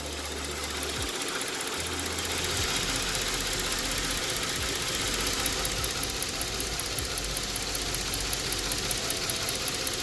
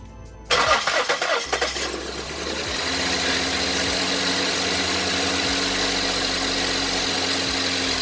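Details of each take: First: 2008 Ford Edge 3.5 L V6, 122,000 miles, warm idle with uneven stumbling beat and faint tick, still misfiring (cylinder 3, P0303/P0203), long-term fuel trim lean +25.8%; injector circuits being tested, cause not confirmed. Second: 2008 Ford Edge 3.5L V6, 122k miles, idling after the cylinder 3 injector was replaced for a lean, stuck fuel trim and a flashing check engine light. Quick crank, then a smooth, even idle with no stumble or shake. No bad-injector symptoms remain.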